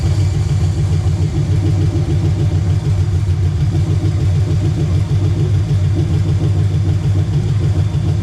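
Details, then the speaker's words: Chevelle (1968 per title, '69 as spoken) with an LS swap, first start after finishing the wiring: a steady, even low V8 idle with a smooth regular beat and no knocks or misses. Normal idle. "all right well there it is six nine Chevelle runs finally all that work"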